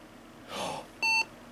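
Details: Windows 98 build PC with a completely dead CMOS battery, CPU reseated twice, on power-up: a soft electrical pop, then one short clean beep. This is a normal POST, and it goes into BIOS setup.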